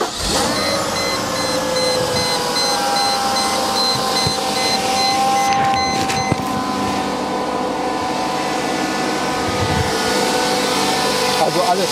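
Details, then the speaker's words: Mercedes SL 500 R129 V8, about 85,000–90,000 km, first start after the weekend, checked for a reported rattle also heard while driving: it idles quietly and evenly with no rattle or knock; quiet idle, no rattle. "leise das hört sich erstmal gut an"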